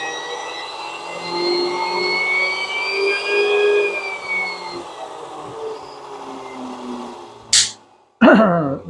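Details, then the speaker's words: 3D-printed axial flux BLDC motor run under a protective box: steady high whine with layered tones drifting slowly lower as it winds down; smooth high-speed run. "Uh that little sucker is producing a lot of power. It scares the out of me."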